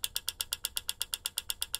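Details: Front-wheel-drive 360 with EVAP code P0442, purge solenoid activated via XTOOL D8 at duty cycles from 9 to 99 percent: sharp, even ticking about eight clicks a second; purge valve solenoid confirmed faulty by vacuum test.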